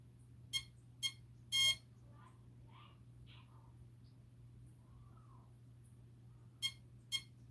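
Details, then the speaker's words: Typhon Grom RC car with a Castle Mamba Micro X2 ESC, 1010 4400kv motor and SLR300 receiver: short high beeps in groups after a power cycle; binding never completes. "Turn it off. Turn it on. We're still beeping. Should I pull the bind plug out?"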